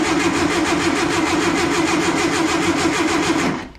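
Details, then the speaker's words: Stored warehouse-find air-cooled VW engine, gearbox in neutral, first crank test before any spark check: even, free cranking at about four beats a second with no knocking. "That actually sounds pretty good. No knocking or nothing."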